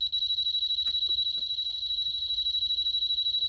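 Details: 1988 Amstrad PCW 8256 on current-limiting dim bulb, power supply suspected failing with drive stuttering: shrill beeping about three times a second, error warning; owner suspects aging capacitors and a full recap.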